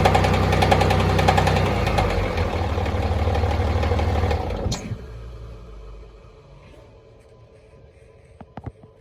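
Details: Cummins diesel idling with a steady low knock about two or three per second until shutoff; flex plate, rod or main bearing suspected, not confirmed.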